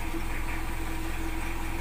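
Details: Diesel generator after replacing two failed glow plugs with used ones to cure hard morning starting: steady low diesel clatter at idle, even and unbroken with no stumbling; running cleanly.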